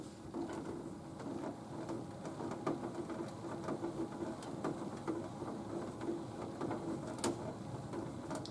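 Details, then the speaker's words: Nautilus U614/U616 exercise bike pedal, after tightening it and sealing the threads with plumber's tape, turns with a soft, even whir and faint light ticks, no clunk or thump; the pedal clunking appears repaired. "trying to kick my foot around a little bit, like I did before. And it sounds, it looks like it repaired the problem."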